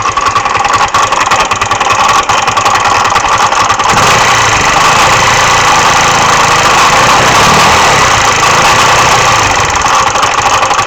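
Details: MD 150T-6 GY6 150cc scooter idling: light, uneven internal engine clatter or knock, about three to four knocks a second, with no performance loss; clutch, variator and belt ruled out, no metal shavings in the oil.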